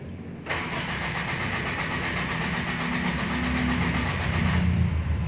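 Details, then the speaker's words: Toyota Tamaraw FX gasoline engine, battery freshly charged, in neutral with throttle pressed: steady strong cranking about four turns a second for five seconds, never fires; later traced to no power reaching the ignition coil positive from the ignition switch. "ayaw no start tam raws cranking no"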